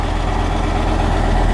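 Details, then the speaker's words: Dodge Ram 2500 V10 first start after replacing a bad crank sensor that caused the no-start, motor mount not yet fitted: steady low rumble with even pulse, no knocks or misses, and a slight exhaust leak; normal idle. "that was our problem the whole time great she's parting like a kitten i love it when a plan comes together don't you all right sounds good it's got a little bit of an exhaust leak"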